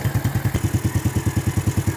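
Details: Yamaha New Jupiter Z / Vega ZR engine: an even, steady single-cylinder beat at about nine pulses a second, with no knock or rattle standing out, a normal idle.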